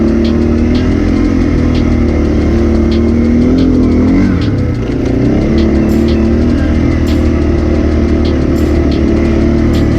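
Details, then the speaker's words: 2006 Arctic Cat 400 ATV after engine rebuild (it had earlier lost spark and died on a hill), ridden under load. A steady drone follows the throttle with even firing and no knocks or rattles. Engine healthy. "hopefully we don't have to walk back lady miles and stuff in the tow us back she seems to be running good right now"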